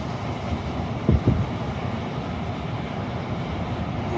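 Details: Old Bard wall-mount unit after its bad double-shaft blower motor was replaced, running in cooling: steady low rumble of air and motor with only a couple of brief thumps. It sounds healthy.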